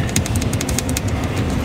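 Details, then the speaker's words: Tesla interior mirror base trim cover removed: light, irregular plastic ticks from a loose clip rattling in its mount, later fixed by wrapping it with sponge strip. Loose trim clip rattle. "然后这个卡扣倒是有点松动的响声，来听"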